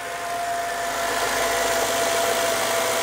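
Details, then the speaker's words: High-mileage Mercedes E55 AMG wagon V8 at idle after sitting for months with a dead battery: steady, smooth hum with no ticking, misfire or tailpipe smoke; the engine sounds healthy. "fired up absolutely no smoke whatsoever from the tailpipe the engine is in excellent condition you guys can hear it right now"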